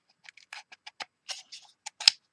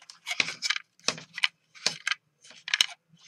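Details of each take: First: John Deere D155 lawn tractor throttle lever, reassembled with roller pin after slipping complaint: light dry clicks moving through positions, crisp firmer click into top detent toward choke; detent working, unit still to be replaced as a spring is missing. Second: John Deere D155 mower throttle control removed for slipping throttle: sharp clicky rattle bursts as the part is shaken; something loose inside, suspected, not confirmed.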